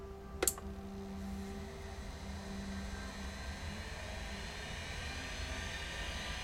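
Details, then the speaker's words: Convergent Technologies AWS hard drive spin-up: a click, then soft steady motor hum rising as platters reach speed; normal, quiet compared with a Maxtor XT 219. "go and that is exactly what these things are supposed to sound like nice and quiet relatively to uh the maxter XT 219 that I work with on a regular basis and all is well"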